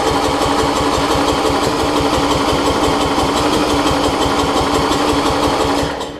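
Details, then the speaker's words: Murray rear-engine rider, new battery, ran the day before: starter cranks steadily about three turns per second for six seconds without catching; hard starting, owner suspects flooding. "I honestly think it's flooded I think it really wants to here at trying"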